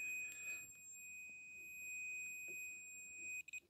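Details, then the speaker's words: Hitachi G10SR3 angle grinder that runs intermittently: a continuity tester on the power cord's live conductor beeps steadily but drops out as the cord is flexed. A break in the wire where it flexes most. "uh yeah there's definitely a break in that wire somewhere where it flexes the most"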